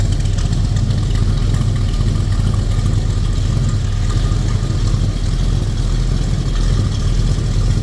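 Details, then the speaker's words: 1950 Dodge Business Coupe street rod, rebuilt 360 V8 with headers, warm idle: deep rumble with steady low beat through the headers, no lumpiness; healthy V8 idle. "This baby fires up every time I hit that key. Boom, 360 V8 takes off. Again, headers."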